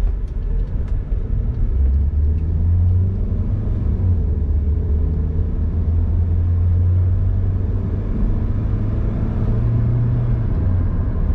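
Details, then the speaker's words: Car started after a reset procedure with a ThinkDiag scanner (ignition off, then on): a low, steady idle rumble holds an even pitch for over ten seconds, RPM no longer shooting up and back to normal; normal idle. "Bila dah siap, kita start kereta. Tengok RPM dia tak mencanak naik. RPM dia kembali normal."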